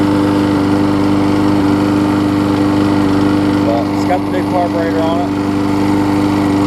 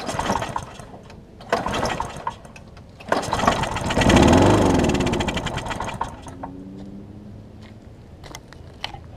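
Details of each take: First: Husqvarna mower with aluminum deck and a transplanted engine, after a new gas tank, a replacement carb and a tune-up, cranked after priming. It makes a steady, even buzz at constant pitch with no misses or surging, so it runs good again. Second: Husqvarna mower with aluminum deck and transplanted engine, cracked gas tank, gummed carburetor, run on starting spray: pull-start catches, runs rough a couple of seconds, then sputters out; not getting fuel, gummed carb.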